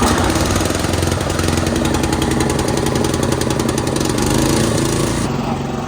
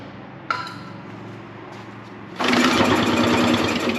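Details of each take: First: Old concrete mixer's small single-cylinder engine, sat 20 years, starting on its own after fresh oil with a little throttle: quick, fairly even putter with no misses, far less sputtery than before; running smoothly. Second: Dad's old concrete mixer engine, long unused, pull-started: quiet cranking then brief rough burst of firing that dies; owner suspects it runs only on starting fluid, fuel not reaching carburetor, maybe stuck float.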